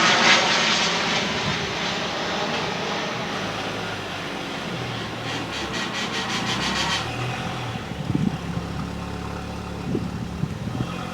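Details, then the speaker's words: Copart salvage car reversing with a low, uneven drone and faint tone over the engine; owner suspects the gearbox needs replacing, unconfirmed; noise in reverse. "let me set the camera up we'll get in the car we reverse it and we'll go from there and then let you hear the noise and see what you"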